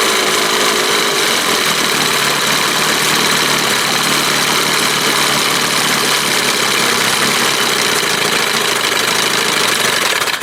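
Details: 1971 Johnson 20 hp two-stroke outboard after a carburetor swap, with a smaller jet than a 25 would normally have, just taken off choke: it runs steadily with a loud buzzy rattle and raspy exhaust. Running, carburetor linkage not yet adjusted.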